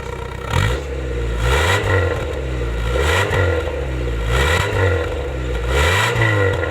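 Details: 2000-model Honda City petrol engine revved up and down evenly without stumbling; the misfire at idle and under acceleration has been cured, though about 80% fixed with a minor issue remaining.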